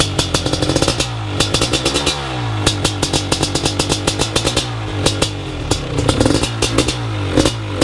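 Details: First startup of a BRC 500 engine kit in a 2015 Husqvarna TE 250 with SmartCarb 40mm billet carb, TPS and PowerCDI ignition, kickstarted. The single-cylinder pops crisply at idle, then picks up cleanly on throttle blips, firing evenly; running healthy.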